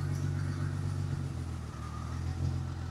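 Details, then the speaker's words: 1977 Ford F100 with a 300 inline-six on FiTech EFI, idle AFR leaned from 13.6 to 15:1 via the handheld: low idle with an uneven stumbling beat and small dips; rough idle from a lean mixture. "Hear that? She's not happy. So, we're gonna put it back where it likes it at uh 136."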